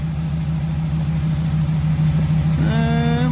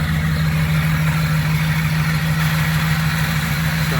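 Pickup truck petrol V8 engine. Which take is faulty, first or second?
second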